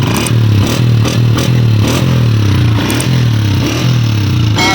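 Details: Honda 125 after replacing the burnt exhaust washer at the head, which had caused a phat-phat leak from a loose nut; blips through the revs with a clean, even exhaust beat and no popping; normal exhaust note.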